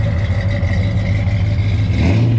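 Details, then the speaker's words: 1965 Chevrolet Biscayne with restored 396 big-block V8 (block code JQ, appears to be a 1969 block), 4-speed manual, 12-bolt rear; slightly cold-blooded but starts right up, already warmed a little. Deep, steady big-block rumble at even idle, no misses, ticks or knocks; normal healthy idle. "It always starts right up, which is nice. Some cars you got to crank and pump, and this one you don't. It is a little cold-blooded."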